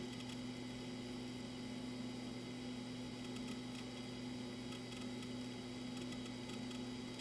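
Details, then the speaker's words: Macintosh PowerBook 165C hard drive spinning up after ROM installed during restoration: steady low hum with faint even whir, no clicks or grinding; drive spins up and laptop boots normally, confirming main board is good. "i hear it starting up"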